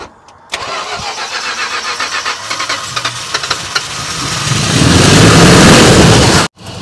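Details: 1969 Chrysler Newport 383 Magnum V8, revived after 40+ years sitting, on road trip after plugged fuel filter and running out of gas, fed from spare fuel: starter cranks quick even chug a few seconds, then fires into strong smooth run.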